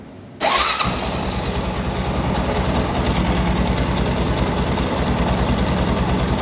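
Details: Honda NX Falcon 400 single-cylinder, cold, after repairing noisy cylinder head with damaged camshaft and fitting an oil cooler: quick crank catches at once, steady even thump at idle with no ticking or top-end clatter.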